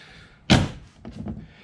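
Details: Honda Pioneer 1000-5 UTV (2017) door slams shut, then light tinny taps as the bare metal door latch rattles.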